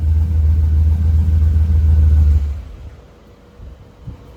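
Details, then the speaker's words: SBE turbo Dodge Dakota R/T on dyno at roughly 19–20 psi boost, ~660 whp; deep heavy roar holds steady under full load with no stutter or break-up, then fades; dyno hum audible. Normal full-load pull. "Well, it didn't blow up, knock on wood. Right around 660."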